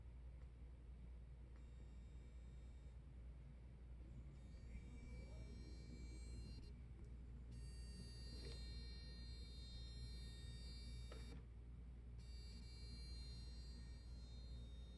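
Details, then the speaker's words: 2016-17 Honda Accord Touring LED DRL strips: thin high electronic buzz cutting in and out over steady low engine rumble, only in dim mode, not bright; owner wonders if a transformer causes it; unconfirmed. "that's the bright one the right one doesn't make noise only the dim one makes that sound wondering if it's some sort of transformer"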